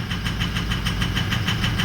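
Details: 2004 Ford 6.0L Powerstroke diesel pickup idling roughly: lumpy idle with clatter about seven times a second, misfiring injectors; FICM voltage fell to 41–42 V (should stay above 45), ICP pressure correct at 1280, so the FICM voltage is too low.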